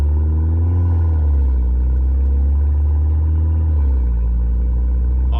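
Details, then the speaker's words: 2015 Mercedes CLA 250 4Matic after repeated attempts and the fault finally found, running: deep, loud open-pipe drone that steadies as revs settle, even and knock-free; shifts well, engine running fine. "hell yeah this thing is running perfect finally I haven't had issues with anything so far"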